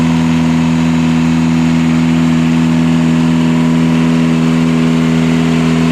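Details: Catamaran diesel genset bench-tested after two swapped controller wires, which had run it flat out to shutdown, were corrected; steady even drone, firm low tone, constant speed, no knocks, hunting or surging: normal running.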